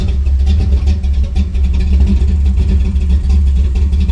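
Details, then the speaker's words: Cammed Chevy C10 V8 after months sitting and a tune-up, carburetor primed: deep, loping rumble with steady choppy cam rhythm and no dropouts; previous misfire gone. Normal cammed idle. "that sounds it sounds for helping that miss is gone"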